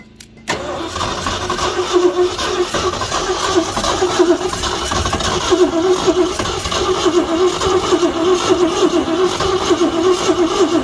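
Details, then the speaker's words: 1969 Ford F100, sat for years with hood off, engine had been stuck, using starting fluid: starter cranks steadily about 3.5 turns a second for ten seconds without firing despite spark and fuel; cylinders suspected oil-filled. "Just gonna burn up that starter is what we're gonna do. All right, we're getting spark. We've got fuel."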